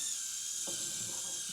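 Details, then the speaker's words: Axial SCX30 Bronco with new Furitek Nano Unity brushless system, stock 2S battery and stock tires, climbing an incline under added throttle: thin steady high whine over the motor; owner wonders whether the gear mesh is too tight. "Add some power to it. A little whiny. So I wonder if that gear mesh is a little tight in"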